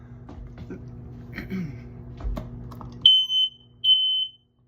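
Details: Non-interconnected smoke detector in upstairs hallway, test button pressed; handling noise, then sharp high chirps, two short bursts and a longer one, from this unit alone; normal smoke alarm test tone.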